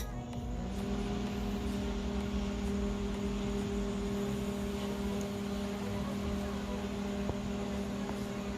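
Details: LG MH7570 microwave brought in for loud noise (magnetron or capacitor short suspected), tested on 220 V heating water: steady low hum and fan whir, no loud magnetron buzzing; normal operation.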